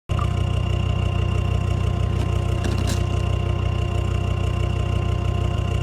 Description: Misfire 1250 - 1750 RPM when warm on a LR Discovery 2 TD5. Grey smoke points at a fuelling issue, injection harness was oil fouled and has been replaced.